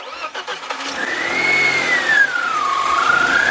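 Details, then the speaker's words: BMW 318ti M42 engine, hot restart after about 20 minutes' sit, after fixing an intermittent hot-start misfire traced to an injector: cranks briefly, catches cleanly, settles into an even idle with no stumble; healthy. "Hey. Hey, boy. That is a non-misfiring M42, my good sir."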